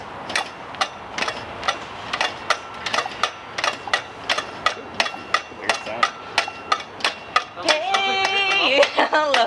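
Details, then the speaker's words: Honda CB200 barn-find motorcycle being kicked over: sharp metallic clacks about three per second with each kick, the kick starter lever striking the muffler. "you're hitting the muffler for sure that's what that sound is why didn't you say that earlier"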